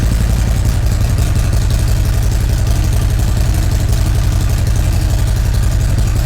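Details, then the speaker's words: 2017 Harley-Davidson Ultra Classic Milwaukee-Eight 107 at first start after installing a Feuling 465 cam, Rinehart dual exhaust and an upgraded 2020 oil pump: steady, even low V-twin thump at idle, about three beats a second, no ticks or knocks; healthy. "all right awesome everything sounds good with it you know popped right off no funny noise is there anything that's way it should sound"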